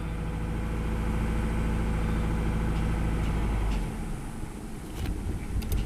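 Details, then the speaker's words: 2000 Toyota Camry 2.2L 5S-FE petrol, started after sitting 3 weeks with gas pumped, fuel smell: idles low and unevenly with a stumbling beat and misfire when rpm drops very low, then shut off. "Not having the shaking too bad. And here's where the misfire happens when it's like really low."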